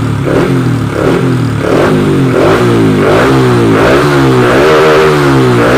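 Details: Honda Wave 125i on E20 fuel with PCX150 injector fitted, being fixed for rich-fuel stumble when throttled; repeated blips rise and fall smoothly with no stumble or hesitation, running healthy.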